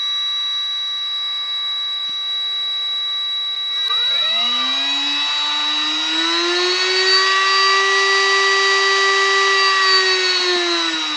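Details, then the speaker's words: Milwaukee rotary tool starting up: a steady high whine at about 3900 Hz, the electronic speed control's carrier frequency, under a lower fan tone that rises as the motor spins up. Normal PWM motor whine. "that's that high pitched wine you can hear when you start up tools that have that kind of control that have electronic control"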